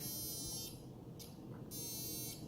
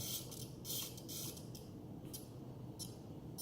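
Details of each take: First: Blade Fusion 360 RC helicopter tail servo gives a thin, high electric buzz in half-second bursts while holding position. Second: Blade Fusion 360 RC helicopter, powered on: short bursts of high-pitched buzzing come and go in a quiet room as the tail servo holds position under power, which is normal.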